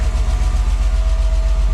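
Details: BMW E34 Touring, M50B20TU engine sat dry about 2 years, first start after oil pan replacement and 6 liters fresh oil: heavy lumpy uneven idle with faint knock underneath, weird rough sound; owner hopes it will smooth out.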